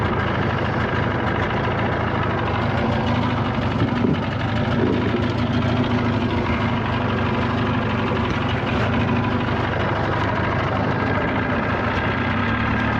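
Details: 1979 Evinrude 35hp outboard after tune-up and adjustments, running at speed under load on the water: steady, even two-stroke drone holding constant revs with no misses or knocks; running normally.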